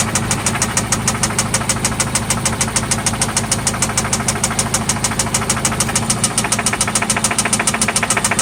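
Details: 1995 Toyota Celica ST at idle, after an oil change and new spark plugs: sharp, steady ticking knock about three per second over a smooth idle, localized to one spot; cause undetermined.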